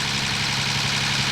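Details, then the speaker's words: Turbo E36 wagon, rebuilt engine (formerly 318) first start-up at idle: fast busy clatter from cylinder head over steady idle; hydraulic lifters not yet bled, ticking expected to clear. "God that sounds awful it'll go away I swear to God I swear besides the head noise though sounds great"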